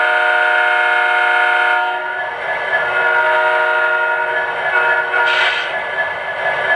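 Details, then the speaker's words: O-scale 3-rail diesel model locomotive: loud horn tone carries a vibrating, razzing buzz from a loose piece of debris on the speaker cone, removed by hand. "Now, I don't know if you could tell through the video, but when I blow the horn, there's kind of this vibrating sort of noise, like a razzing noise that's coming from there it is."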